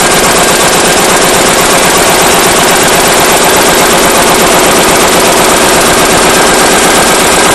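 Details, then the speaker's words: Powerline Lister single-cylinder diesel after draining fuel system and fresh fuel: loud pounding with uneven, lumpy beats instead of a steady thump, rough from startup, worse than before; fuel line ruled out, owner suspects injector pump or injector. "it's not any better matter of fact it's worse used to start smooth and run rough and now it pretty much just runs as you see pretty rough right from the get-go"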